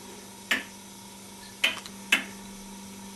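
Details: Homemade pendulum clock no. 3, aluminium with brass escapement parts, simply stood on a table: crisp, even metallic ticks about once a second; running properly.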